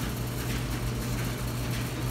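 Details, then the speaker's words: Dryer test run after debris was cleared from the blower housing and the unit reassembled: a steady low hum of drum and blower with no rumble or scraping. The earlier rough rumbling noise is gone, so it is running normally. "man you hear that that Rumple is going we cleared out that housing down there is how our noise is going"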